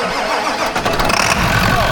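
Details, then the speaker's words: 1985 Ford truck with Hino Japanese diesel, no good battery connections: cranks briefly, catches quickly and settles into a steady, even idle with no smoke; normal start and idle. "This thing runs good. Look at that. Not a lick of smoke. Zero."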